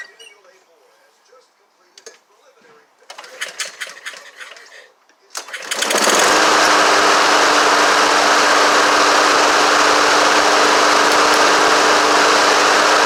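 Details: Honda HRX217 mower after carburetor clean, new drive belt and new recoil: after a few pulls it catches and settles into steady even running with constant tone, no misses or knocks.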